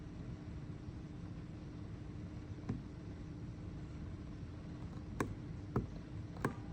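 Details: Bonaire evaporative cooler: a steady low hum with faint, sharp clicks at irregular intervals, about four in seven seconds. Clicking noise, source unclear.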